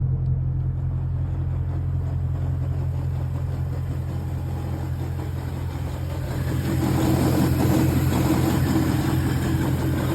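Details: BMW E92 M3 V8 idling at 600 rpm: low, lumpy idle with an uneven rhythmic pulsing and extra rattle that swells; the noise disappears at slightly higher rpm.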